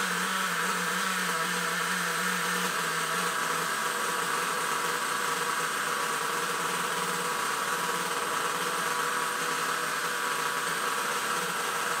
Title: nitro rc first start after 2 years, bad adjustement